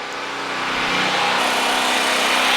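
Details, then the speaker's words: Harbor Freight Predator 4375/3500 W generator, 6.5 HP 212cc, under light load: steady, even drone with much hiss, no misses or knocks; sound changes on load but not much louder; healthy. "I forgot the noise is gonna sound different so I hope you can hear this audio but there's a definite change when you plug something in here I want you to hear that in the video but for the most part not much louder at all"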